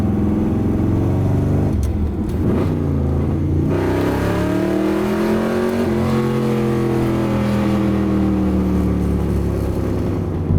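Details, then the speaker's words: 1981 Corvette V8 driving after exhaust repair, welding and motor mount work: smooth, even pull rising and settling with throttle, no clanks, rattles or puffing leaks; healthy exhaust. "I love how this car sounds though. Sounds awesome."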